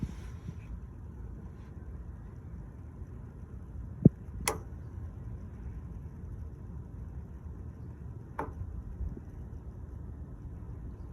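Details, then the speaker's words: 2019 GMC Sierra with P0449 code, EVAP vent valve actuated on and off with a scan tool, recorded at the valve: crisp single clicks a few seconds apart over a quiet hum, showing the vent valve is opening correctly. "so that's making the noise so it means that valve is opening correctly"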